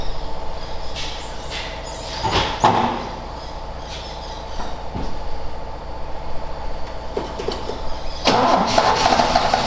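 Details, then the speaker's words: Ford XA Falcon long parked outside, hot coil fitted. Engine catches in uneven bursts, stumbles and chops between them, then picks up. Fuel starvation from an empty carb float bowl; distributor cap also suspect. "it wasn't a very good distributor cap either I might have to Chang it out and see if that's in better but the flood B was empty"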